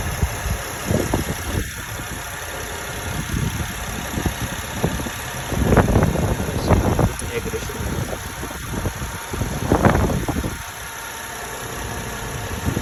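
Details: 2008 Honda Odyssey EX after a timing belt change, idling with irregular clattery knocks and bursts over the low hum; a noise up front, cause not yet found.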